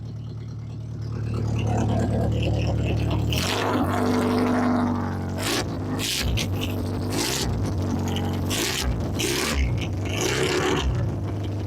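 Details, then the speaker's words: 1992 Plymouth Sundance running for the first time in about 20 years after fuel system and battery repairs. A steady, even idle with no skips or knocks under a loud, raspy open exhaust, with lots of smoke. It runs fine, just unmuffled. "Well, other than the pile of smoke and the god awful exhaust noise, congratulations."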